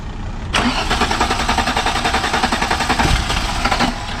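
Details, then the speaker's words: VW MK4 R32 (VR6) won't start after clutch replacement, fuel pump running: starter cranks steadily and somewhat slowly, low cranking power, for over three seconds without catching. "It sounds way down on like just cranking power."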